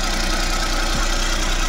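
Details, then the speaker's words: Suzuki Every Wagon with hard hot starting and RPM fluctuation, after checking fuel pressure regulator, injector and pump (all okay): cold fast idle with cold-engine light still on, steady smooth beat, no knocks or stumbles. "Nakailaw pa rin 'yung kanyang cold engine indicator. Tingnan natin kung mag-fluctuate pa rin 'yung kanyang RPM. Bababa pa 'yan pagka nawala na yung cold engine indicator."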